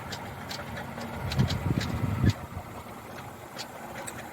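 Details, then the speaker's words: 2007 Lexus RX350 engine idling: uneven light rattle in loose bursts over a low steady idle, audible without opening the hood; repair estimate called for water pump replacement. "Very very bad. Serious mechanical issues. Again, the estimates for the repairs for all that noise coming from the engine."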